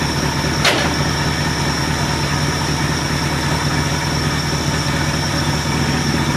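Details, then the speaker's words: Ford LTD V8 on a new $80 eBay 2150 Ford carburetor, screws not adjusted, after the old carb poured gas; catches and settles into a smooth, even idle with a steady low rumble, no stumble, purrs like a kitten. Normal idle. "like a kitten not bad for not even touching the screws on the carburetor"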